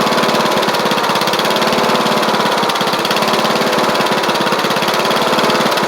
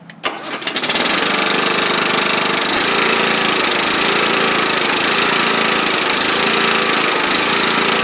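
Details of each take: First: Troy-Bilt Bronco riding mower with a Kohler Courage single-cylinder engine, carburetor jet slightly drilled out, driving down the driveway. A fast putter at steady speed wavers with occasional hesitation: a mild running stumble whose cause is not yet found. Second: Kohler Courage engine on a Troy Bilt Bronco riding mower, after drilling out the carb jet. Steady, busy drone with a gentle rise and fall about once a second; it runs fine with only mild governor surge.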